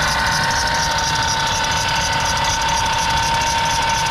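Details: Ford E350 van with dual AC compressors, engine running: steady piercing high squeal over a smooth idle without changing pitch; lubricant applied to pulleys and AC switched off to isolate it. Accessory drive squeal at idle, cause not confirmed.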